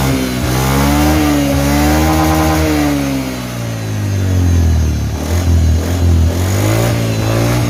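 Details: Honda Beat FI scooter CVT, unopened 4 years, after rebuild with new crankshaft seal, bearing, shaft, pulley, engine oil and gear oil; smooth engine note rising and falling with throttle, no whine, previous noise gone.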